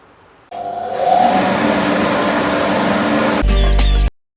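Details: Newly assembled Carbatec dust collector: the motor starts and climbs to a steady roaring whoosh with no knocks or rattles; running normally.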